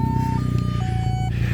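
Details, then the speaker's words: 2002 VW Cabrio GLX, 2-litre non-turbo four-cylinder, 115 hp, at start-up and idle. Loud, throbbing idle with a deep pulsing rumble from a small exhaust leak in the middle of the exhaust. "and the reasoning is because there's kind of a little bit of an exhaust leak on it right in the middle, but in my opinion it sounds good more than anything."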